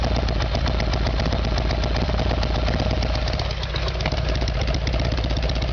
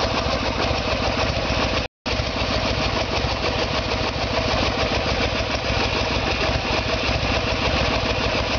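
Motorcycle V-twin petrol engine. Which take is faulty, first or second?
first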